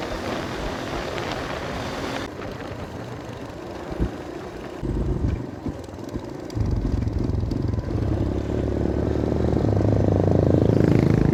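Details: Kawasaki KLX150 after cylinder block replacement, new carburetor and fixed loose CDI wiring that caused misfiring and stalling: road test, even single-cylinder beat climbing smoothly with throttle, no misses, stumbles or cut-outs; running cleanly.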